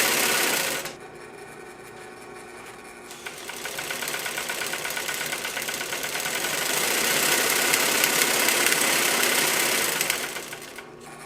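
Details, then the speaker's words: 1942 Singer 111W153 triple-feed sewing machine, before oiling, while winding a bobbin: fast, even clatter about 220 beats a minute with a sharp metallic rattle; the hook sounds dry and noisy, owner oils it. Noisy hook. "going to oil this hook up a little bit. It's kind of noisy. So this was a little bit noisy for my personal taste, so I stopped loading that bobbin, and I'm going to just lube this up real good."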